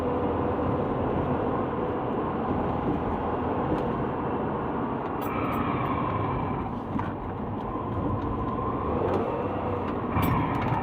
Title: Subaru Legacy 2010 brake grinding not pad & rotor!!! HELP